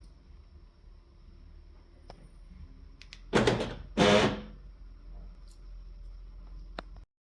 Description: A tutorial on replacing a worn gear cog from a left hand, sliding door central locking unit in a 2010 Volkswagen Caddy. Which was causing a jamming buzzing sound upon unlocking.